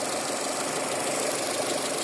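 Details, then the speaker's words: Car engine at about 240,000 km, idling during an oil change: steady, even idle with a smooth light hum and no knocks or misses; no leaks, normal running. "oilà mon moteur il tourne rond et elle a quand même 240000 la mm et elle tourne comme à ses premiers jours voilà et regardez voilà le moteur qui tourne rond"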